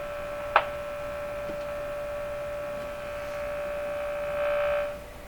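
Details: Stromberg Carlson Model 515 radio during signal-tracing tests: a steady, fairly high-pitched hum from the speaker, most pronounced when the speaker is lifted, with nothing playing; the hum's source is not yet found.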